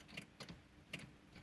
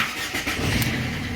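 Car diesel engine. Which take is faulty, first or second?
first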